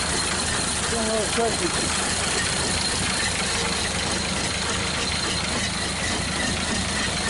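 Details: 1931 Ford Model A first start in years, choke off; uneven fast idle with irregular beat, smoking and small leak; two cylinders low compression, rings suspected but unconfirmed; smoking on first start.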